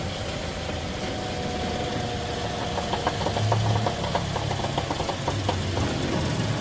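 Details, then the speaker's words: Toyota Corolla Altis creeping slowly forward and in reverse, uneven knocking and clicking from the front over engine hum; noise seems central, mechanic suspects the transmission, unconfirmed. "Magandang araw na muli mga boss ang problema ni customer kahit mabagal yung andar niya nakakarinig siya ng ingay"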